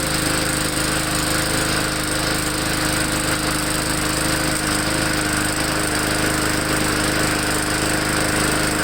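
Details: Small single-cylinder MTD 20-inch mower engine warming up before an oil change: holds a steady, even drone at constant speed with no misses, surging or hunting; running normally.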